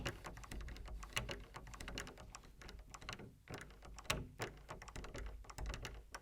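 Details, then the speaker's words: Door handle and internal lock/latch, dry and in need of lubrication, creaking and clicking when worked: irregular sharp clicks and dull knocks. "Now this door handle has become quite noisy. It creaks and it clicks, which is quite annoying."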